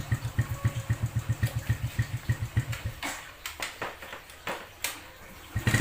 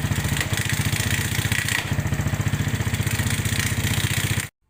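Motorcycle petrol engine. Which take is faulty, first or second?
second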